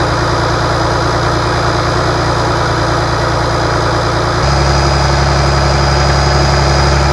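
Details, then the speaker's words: Rebuilt International DT466 diesel from a loader, previously knocking, test-run after the rebuild: steady, even idle with a smooth low beat, speed stepping up slightly midway, no knocks or ticks; runs good. "it runs good uh so far we're going to do some other maybe adjustments and a few other things put the valve cover on and some other different things but I think we're in good shape now"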